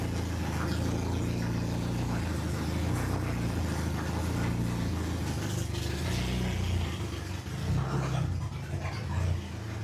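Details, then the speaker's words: Honda H22 swapped into a Civic on a FuelTech FT450 ECU, just after first start: loud, deep, steady burble with an even beat and no knocks or ticks. A healthy idle, unsilenced; idle to be adjusted later. "I'll probably adjust the idling a little bit later on, just get it running. It's super loud, so I won't start it again on camera."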